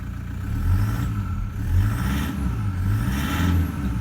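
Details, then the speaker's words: Toyota Prado 120 1KD-FTV diesel in good condition, injectors in good condition, suction control valve done, revved cold in cold weather: rises and falls smoothly with a light clattery rattle typical of a cold 120; normal. "so you can hear it's a 120 right it's what they sound like sounds like it's got a bit of a rattle there cold weather cold engine you're going to get that especially in a 120"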